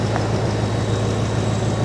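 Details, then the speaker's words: Ford F-250 with 6.2 engine, 102,458 miles, salvage-auction truck: even, steady engine hum with faint high accessory-belt whine; runs cleanly with AC compressor engaged and alternator charging. "Yep, compressor's running, AC's working."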